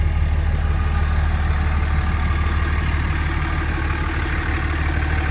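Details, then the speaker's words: Older Dodge diesel truck idling, heard at the exhaust pipe: deep even pulses about three per second, no miss, puff or knock; no blow-by underneath, healthy engine. "Sounds good up underneath here too. There's no blow by on it. Everything's in tip-top shape."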